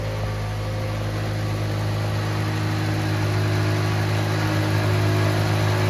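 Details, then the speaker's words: Honda Civic just got running again: steady, fast idle, smooth even hum, headers smoky, no knocking or ticking; healthy but idling very high. "Headers are smoky. It's idling wicked high. It sounds healthy though. I don't hear any knocking or anything sketchy."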